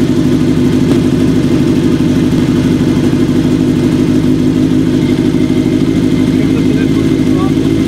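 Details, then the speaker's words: Kawasaki KZ750 cafe build after vacuum leak fix, static timing and bench sync, four carbs being tuned with manometer via throttle adjust screws; bike running hot. Steady idle with slightly uneven, lumpy beat; carburetors still slightly out of sync, close. "next week we can finish up syncing up those carbs it's sounding good already it's close"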